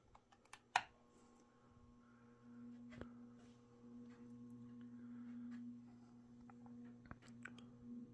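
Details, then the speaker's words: Mid-to-late 1980s 56-inch industrial ceiling fan, possibly HRS, running: low steady 60-cycle mains buzz with scattered knocks, suspected from the motor's top half fitting loosely into the bearing. "so you can kind of hear that this fan does have a 60 cyclic Buzz going to it and I think that is because of the fact that that the top half of the motor is not a very tight fit where it sits into the bearing"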